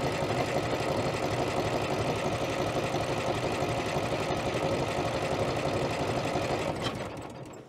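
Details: Allis-Chalmers HD6 track loader, sat about 50 years, cold start without ether, likely 12 V starter run on 24 V: fast, even cranking about three turns a second, no firing, then spins down; cranks but won't start.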